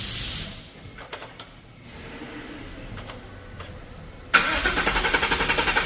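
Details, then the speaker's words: 2015 Ford F150 V8 (Coyote), 120,784 miles, fresh VR1 20W50 conventional oil, mic on toolbox; gas held while cranking to prime; starter grinds briefly, catches about 4.3 s, steady even high idle, immediate oil pressure. Normal cold start. "And then when I let go of the gas while I'm cranking, it fires up, oil pressure immediately, no problem. Well, there she is. She's running good."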